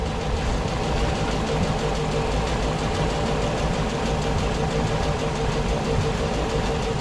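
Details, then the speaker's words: 32ft SeaVee boat outboard started after a full rewire and fuel priming runs uneven and lumpy because the fuel rails aren't full yet; it smooths out shortly after. "Ooh. That thing sounds like shit. Yeah, the fuel rails aren't full yet."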